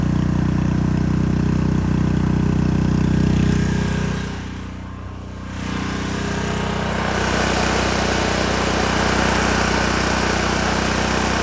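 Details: Engine drive on Victoria during tune-up, about 50°F: engine runs then sags for a couple of seconds before settling at a different speed; unstable low idle, owner suspects governor or carburettor.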